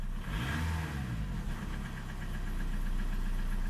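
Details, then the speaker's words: Old TDI 90/110 hp with rotary injection pump, cold engine in rain, after tapping the quantity adjuster: steady even diesel idle at about 2 mg injection quantity, running nicely; owner suspects a cracked pump seal ring. "widzicie jesteśmy chodzi ładnie dawka widzicie 2 mg"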